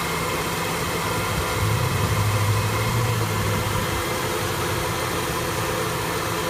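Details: 1974 F100 V8 with an EFI swap idling with an uneven, loping low rumble that swells and sags around the two-second mark; the idle is rough, cause not yet found.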